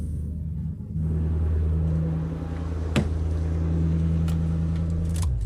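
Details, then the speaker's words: Lexus GS400 V8 with 372,000 miles at idle: low, uneven, lumpy beat with one cylinder dropping out; misfire from a massive fuel leak at the last cylinder's injector, damaged when lowering the injection rail during work. "Wow, I have a massive gas leak on the last cylinder."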